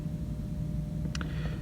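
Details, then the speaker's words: Six-door freezer condensing unit with ice on the suction line makes a steady low hum from an energized contactor that has not pulled in; 238 V measured on top, 0 V on bottom, bad contactor suspected. "Can you hear that? I hear the contactor humming, but it's not pulled"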